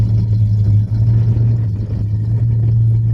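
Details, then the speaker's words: 1970 Buick GS Skylark V8 at a smooth, steady idle after the restoration was finished: deep even rumble with no ticking or knocking. "Listen to that car. It sounds amazing."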